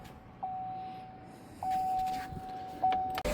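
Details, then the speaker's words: Chevrolet Silverado 1500 after fuel pump replacement, key cycled to on three times: each time a steady mid-pitched hum runs about a second and stops; normal fuel pump priming. "We hear the fuel pump priming down there."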